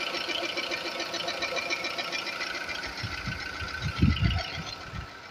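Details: 2004 VW Polo 9N 1.4 5-door petrol engine at idle with a light, fast ticking over its steady hum; owner asks whether this strange ticking is normal.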